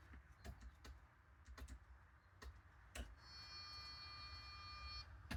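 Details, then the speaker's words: 2017 Grand Design Imagine 3150BH Schwintek rear main slide motor: between scattered clicks, faint steady electric whine for about two seconds, nothing moving; motor fine but straining against seized gearbox. "Well, it wants to go. So, this gearbox is actually seized right up on it. That's the problem here. So, the motor itself is fine."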